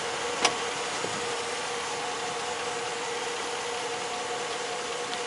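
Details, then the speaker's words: 2005 Jeep Grand Cherokee 4x4 with Quadra-Drive II at idle: one sharp clunk, then a fainter knock, only when shifted into Drive; creaking/clunking in the driveline, cause not identified. "Alright guys, this is the clunking I'm having. Only when I shift to drive."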